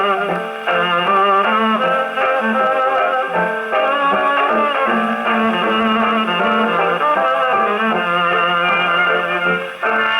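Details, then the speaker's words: HMV No. 4 all-brass reproducer rebuilt with new diaphragm and gaskets, playing on an Electrola 101 gramophone after an earlier buzz complaint; clean full music, no buzz or rattle on sustained notes. "you know it sounded pretty good so far so good"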